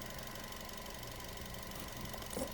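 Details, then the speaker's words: Nissan Almera that kept stalling, after cleaning spark plugs, oxygen sensor, throttle body, MAP sensor and intake plus scanner throttle relearn: quiet, steady idle with even low hum, no stumble; engine no longer dies, normal idle. "An okay na siya hindi na siya namamatay yung makina tapos may power na siya."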